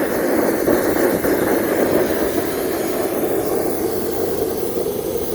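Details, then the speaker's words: Homemade Kwiky waste-oil burner running on used motor oil mixed with gasoline, roaring against coals; a loud, constant jet-like roar with a hissing rush and no rhythm; owner suspects too much air pressure; burner roar. "Tell me that's not hot enough. If it wasn't for those coals, you wouldn't be hearing the jet noise."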